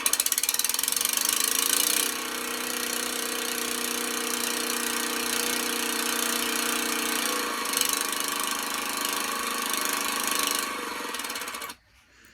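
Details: Power unit: a steady buzzing motor drone with a busy high hiss, holding an even pace until it cuts off abruptly near the end; normal running.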